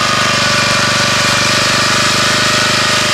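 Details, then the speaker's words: 1981 Honda F200 garden tiller, cold start after sitting a year, part choke: steady single-cylinder putter with a slight grunting edge from the always slightly engaged drum brake; normal cold idle. "So I got the engine choked down a little bit, just to let it warm up."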